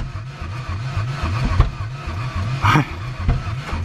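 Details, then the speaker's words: Ford Ranger with no coolant, possibly mud-bogged and hydrolocked, running on starting spray: uneven, lumpy firing with irregular thumps and sputters, sounds very odd; rough running, likely short on compression, engine thought dead. "it uh it sounds very odd sounds like a uh like a machine off of Dr Seuss"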